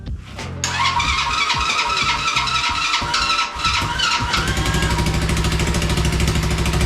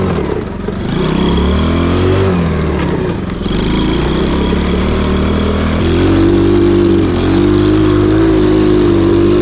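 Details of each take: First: Cheap Chinese mini quad after swap to a budget big-bore engine, carburetor jetting uncertain: cranks, catches and settles into a quick, steady single-cylinder idle with a crisp even beat; normal idle. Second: Cheap Chinese mini quad with the cheapest eBay big-bore engine swapped in; exhaust may not be fully connected, and the owner suspects fuel starvation. The single-cylinder revs up and down, going flat near the top; bogging at high rpm, cause unconfirmed.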